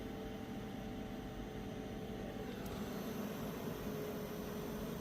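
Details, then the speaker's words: WIPPRO diesel heater throwing E8/E10 codes: steady fan hum with faint constant whine and no pump ticking; fuel pump receives signal (unplugging gives E4) but does not work, owner believes pump is bad, later replaced from second unit. "all right so it does look like the fuel pump is getting signal but it's not really it's not working and I'm pretty sure it's just the fuel pump's bad"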